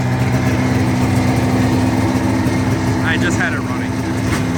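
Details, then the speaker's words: 1985 Yamaha XL-V 540 snowmobile race build, two-stroke idling with the idle set a little high: steady even burble, no misses or knocks, quieter than wanted; normal running. "it's not nearly as loud as I almost want it to be but it it sounds good I have the idle set a little high"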